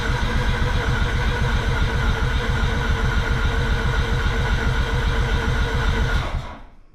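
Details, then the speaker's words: Mazda RX8 hybrid Renesis rotary build, first cranking attempt to build oil pressure, oil light flashing zero pressure, not meant to start; about six seconds of steady starter cranking with even, fast compression pulses, no flat spots, no start. "it's got compression I'm going to go check how much oil it's got"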